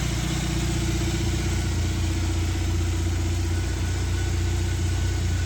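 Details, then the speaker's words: 1996 Suzuki Jimny K6A JA22W RHD idling after cold start: steady, even low burble, no knocks or misses; normal idle. "Here's the engine running. Really good."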